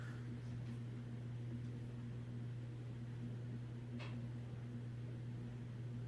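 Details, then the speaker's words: 1950s–60s FASCO 20-inch two-speed box fan with thin aluminum blades and a freshly oiled motor. A smooth, steady hum as it coasts down for a long time, with no grinding, rattle or ticking; healthy bearings, normal spin-down. "as you can see it has very good spin down and those blades aren't really all that heavy they're kind of a thin gauge uh aluminum"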